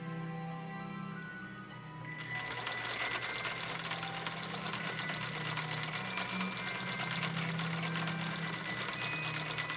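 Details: 1960 Viking Husqvarna CL-21A sewing machine after full restoration, sewing a decorative cam B stitch: quick, even needle clatter about three strokes a second over steady motor hum, running smoothly; healthy machine.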